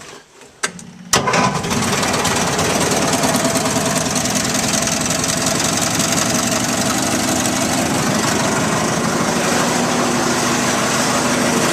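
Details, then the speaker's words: 1973 Terra Jet fitted with a replacement single-cylinder engine from a Craftsman lawnmower, throttle on a snowmobile cable and choke on the console: catches after a couple of tries and settles into a steady, even run with no knocks or misses; normal. "see it starts right up tail wipes on got her off here I think I'm going to be really happy with this"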